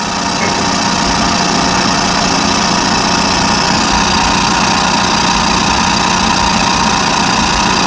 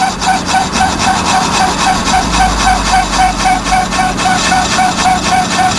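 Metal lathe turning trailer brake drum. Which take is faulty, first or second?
first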